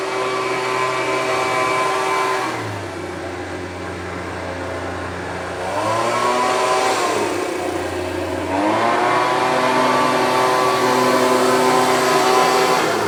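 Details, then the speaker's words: Homelite UT08572 small two-stroke after repair, fuelled and running; it picks up cleanly from idle into smooth, even revs and settles back, with the earlier tink noise apparently gone. Healthy running. "seems to be running really well. I'll review the footage to make sure that that old tink or whatever the noise was is gone."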